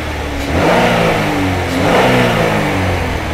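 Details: 2009 Chevy HHR 2.2L Ecotec flex-fuel, after fuel trim reset fixing incorrect alcohol-content reading (P0172, P0300, long crank): revs up cleanly and holds higher rpm smoothly, no misfire or stumble; trim about -1; normal running.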